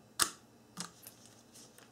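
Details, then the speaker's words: 1994-1997 Honda Accord door lock actuator on a bench power supply, turning in the direction where the rubber stop remains: one sharp click, a softer click, then quiet travel and a clean motor stall with no gear chatter; normal operation. "when the acor turns in One Direction where the rubber piece still is there'll be no noise you can see it operates silently and at the end of the travel the motor stalls"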